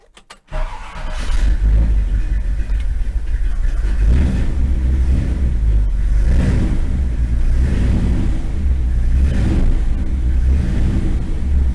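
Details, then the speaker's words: Long-stored 1957 Chevrolet with fresh gas added to an empty tank: cranks, catches, runs unevenly with a hunting beat, then dies. A stuck-closed choke is suspected, though it doesn't look stuck, and it loaded up; cause unsure. Starts then stalls. "All right, I think that the choke is probably stuck closed based on how it was just behaving. Although it doesn't look stuck closed, so I'm not sure why it died right there."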